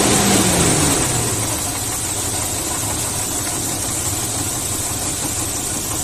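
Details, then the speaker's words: Engine blowing blue exhaust smoke, running with a light, fairly regular knock under its steady hum; teardown showed excessive cylinder wear letting pistons rock in bores, causing piston slap and need for engine repair. "tenía un pequeño ruido no en el motor no sé si han podido evidenciar en el momento de funcionamiento un pequeño golpeteo y eso ocasionaba estos pistones"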